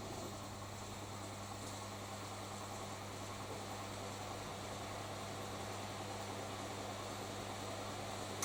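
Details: Newly acquired collector's washing machine on a hot wash, filled with hot water, short tumbles, 2.5 kW heater running toward 95 °C: steady low hum with a soft even churn and no knocks or scraping; heating normally.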